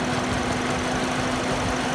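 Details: Toyota Yaris: slightly lumpy, uneven idle under a steady drone, an occasional misfire suspected; cause not confirmed.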